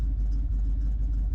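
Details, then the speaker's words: 1976 Ford Ranchero 500 V8 after timing set and oil pump install, low idle about 800 rpm, about 8 psi oil pressure, owner plans raising idle to oil better: deep even rumble, no tapping or miss; slow but healthy idle. "I'll probably bring the idle up to about a it doesn't sound as cool but at least it oils the motor better you know"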